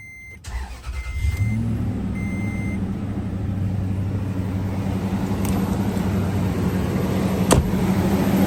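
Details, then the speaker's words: Toyota Tundra 4.7L V8 first start-up after timing belt and water pump replacement, intake back on and coolant being added: chimes, starter catches, settles into steady quiet idle with no ticking or belt noise; sounds healthy. "She's running, everything's together, sounds good, it's nice and quiet."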